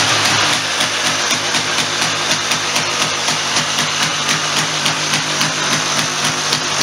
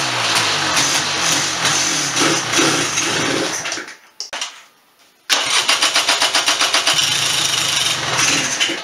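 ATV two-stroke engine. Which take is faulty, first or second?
second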